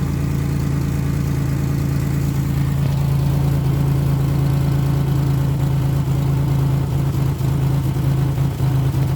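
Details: Nissan Frontier petrol engine idles low and uneven, stumbling at low rpm; owner says it runs great when given gas, rough only at idle.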